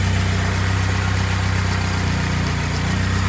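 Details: BMW E36 with K24 swap, turbo, first start after head gasket repair: firm, even idle with steady deep rumble, no misfire, knock or rattle. Normal idle.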